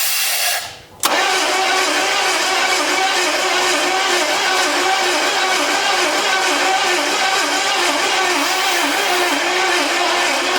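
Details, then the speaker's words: 1983 Chevy Silverado C10 long wheelbase that sat since 2007, cranked with starting spray: steady starter churn at about three and a half beats a second, never picking up or catching; cranking without firing, unsure if there is spark. "So let's just hit it with some spray here, just to see what it'll do. Contact. Nothing. I don't even know if we're firing."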